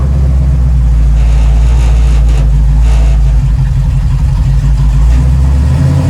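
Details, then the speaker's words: 1936 Chevy coupe on test drive after square cam covers, PCV system and bigger air cleaner fitted: deep drone under throttle with dips and uneven pulls, sputtering instead of picking up; owner thinks not the filter. "when i was uh putting the gas putting the i can't speak when i'm putting the foot down on the gas it's really not picking up right it's really spluttering a bit"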